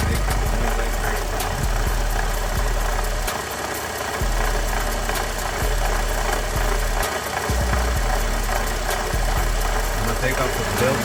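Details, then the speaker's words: 2013 Ford F-150 3.5 EcoBoost at idle: loose, uneven rattle over the idle, at first mistaken for the electric fans; the water pump shaft wobbles badly and was already dripping coolant; bad water pump bearing. "I found a rattling sound. I thought it was the fans at first on this truck, but it seems to be the water fl"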